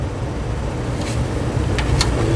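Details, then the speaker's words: Vornado 630B mid-size circulator fan after cleaning and servicing, run on low then up. It moves a lot more air now but gives a steady low rumbling airflow with an uneven, pulsing drone underneath, so the fan blade is very out of balance. "Start off with low. Moving a lot more air now. I have to say, this is very out of balance."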